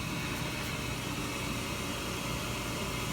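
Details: Slant-Fin VSPH-120 gas boiler running and getting warmer, just before shutoff of its pressurized fan; even continuous rushing roar over a low hum, no surging or banging – normal boiler operation.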